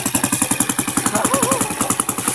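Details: Typhoon 150 motorcycle that suddenly stopped running (weak electrical supply), started without a battery via the regulator after fitting a 4-pin CDI: an even single-cylinder thump at about six or seven beats a second, steady with no misfires; normal idle.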